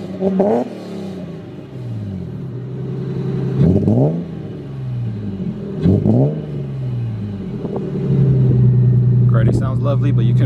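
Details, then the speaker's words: Lexus IS300 with imported engine claimed at 50k miles, good compression, plugs under 2k miles old: quick revs break up briefly as throttle first opens, then pull cleanly; stumble on initial throttle, suspected misfire, coil packs suspected. "But you can tell at the very beginning it's breaking up, so hopefully it's just a misfire."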